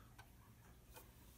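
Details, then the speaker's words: 210 I/O board, powered on with a stable screen and working reset: two sharp ticks about 0.8 s apart over a low hum; the speaker keeps clicking, pausing only briefly when interrupt is pressed; cause not found. "draw a storm on my vision but you can hear the ticking from the speaker"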